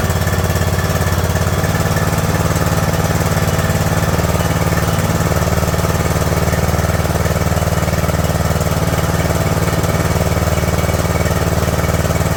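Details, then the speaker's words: Craftsman LT2000 lawn tractor engine, cowl on, fuel solenoid hot wire reconnected, choke on: fast, even drone holding steady without dipping or surging. High idle on choke; owner wants to back the idle down. "I want to back the idol off just see if it'll idle down a little bit"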